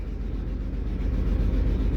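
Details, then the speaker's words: 2003 Chevrolet Trailblazer that came in as a crank-no-start, now starting after a scanner reset: low, lumpy, stumbling idle from misfires on cylinders 3 and 6. The cause was clogged injectors, which were cleaned, and failing coils, which were replaced. "Ahora la camioneta está fallando mucho. Entonces vuelvo otra vez yo al escáner para mirar lo que está sucediendo."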